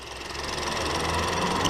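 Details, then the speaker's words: 2015 Mini F56 1.2-litre three-cylinder after spark plug replacement idles steadily and evenly over heavy traffic noise, no missed beats or skipping cylinders, no timing issues; running smoothly. "over the traffic, obviously, is the engine is running sweet as a nut. I don't know why we say that, but yeah. It's running really nice."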